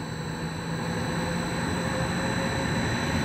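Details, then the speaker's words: About 14-month-old AAON rooftop unit, 1 HP 460 V three-phase Baldor fan motor on a VFD, after replacing noisy bearings: even, quiet hum with faint constant tone, no grinding or rumble; motor bearings now sound healthy. "it sounds like an a on unit again can't even hardly hear the motor running with it"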